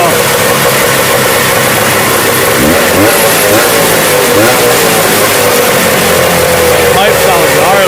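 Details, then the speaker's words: Old Rupp Sprint 440cc two-stroke snowmobile with modified stinger pipe, running after sitting many years once a melted fuel line was dealt with: loud crisp buzz revving cleanly without stumbling; runs strong, normal. "yeah I think sounds amazing it's got a little stinger pipe on it a little modified pipe not sure what brand it is but that thing rips"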